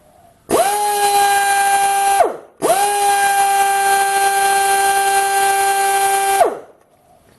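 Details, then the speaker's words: Air grinder on a 7.5 CFM compressor, fed through a cheap AR-2000 air regulator: two bursts of a steady but modest whine. It runs at about two-thirds of its normal speed. "definitely not full bottle it's okay but it's not anywhere near full bottle I say it's running about two thirds of its normal speed"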